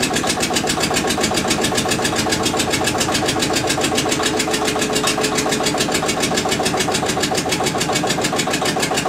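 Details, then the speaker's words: Witte diesel generator, unstarted 45 years, refilled with water and three gallons of oil: even heavy thump about three and a half beats a second, no misses or knocks, runs smoothly; generator shows only about 2.5 V versus ~64 V expected. "all right she's full of water put three gallons of oil in it and we're going to see what she does now"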